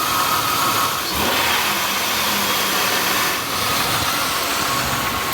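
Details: Oldsmobile 3400 high-mileage engine after fixing a rattle traced by stethoscope to the alternator on the serpentine belt drive: steady smooth run with even hiss, no rattle or knock; sounds healthy.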